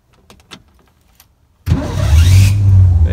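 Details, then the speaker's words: Budget squad car's first start in over a decade, with fresh oil, fluids topped up, and the carburetor primed with quick start: near silence, then the engine catches at once and settles into a deep, steady, even idle. "start it right up just like a champ I did prime the carburetor with a little quick start as well"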